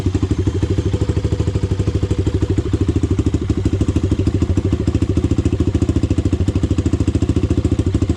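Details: Honda 400EX single, first start after rebuild and idle-screw adjustment: steady, even thump at about 200 beats a minute with no knocking or valve clatter. The owner still plans to work on the carburetor.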